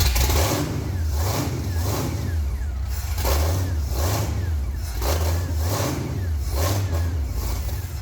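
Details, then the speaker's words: Abandoned 1965 supercharged Ford V8, first start without known prior running and with assumed ignition timing, fed from a lawnmower carb: deep, even V8 rumble with steady lumpy pulses rising and falling with throttle; runs healthy and clean. "And the lawnmower carb is probably already out of fuel. Oh my god, it sounds good."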